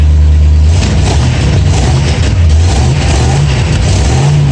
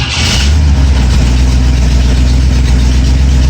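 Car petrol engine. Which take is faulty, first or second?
first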